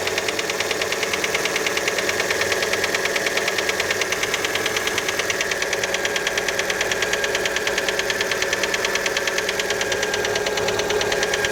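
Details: Fiat Panda engine when cold after a start: a steady, light, sharp metallic tapping, about three per second, at idle. Many suspect the piston skirt, but the cause is not confirmed.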